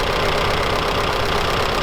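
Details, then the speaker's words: Soviet UAZ 469, carbureted, unstarted for over a month, primed and on choke: a loud, choppy, stumbling idle. A dead-cylinder misfire; it is running on only two cylinders, with an ignition overhaul needed. "okay so it does fire up but it doesn't sound like we're running on all four foreign works that works and the other one is not doing anything"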